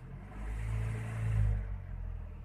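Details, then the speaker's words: Used pickup truck on inspection: engine rises smoothly on a short throttle blip and drops back to steady, even idle without stuttering; normal, healthy engine. "Hai mesinnya langsam ya tidak tersendat-sendat di mesin itu"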